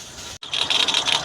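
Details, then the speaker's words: Peugeot 206 running, accessory belt nearly jumping off: loud, high pulsing chirp-squeal in quick bursts that eases slightly, sounding like belt slip; bearings seem good, owner suspects a pulley. "Muito forte o barulho. Deu uma diminuída agora."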